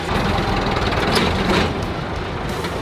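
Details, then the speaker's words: Massey Ferguson backhoe, year unknown (probably 1970s), started with a switch after hooking up the battery: steady, rough diesel clatter at an even low beat, no misses or knocks; normal healthy diesel idle, "sounds beautiful." "It sounds beautiful, don't it?"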